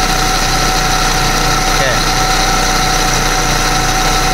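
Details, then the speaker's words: Proton Persona with the Campro engine at idle, belt cover off: loud, coarse rumble with a faint whirr, vibration strongest at the alternator, checked with a long screwdriver on each pulley; rough alternator bearing. "Jadi sekarang ni dia punya gegaran tu kuat dekat alternator ah."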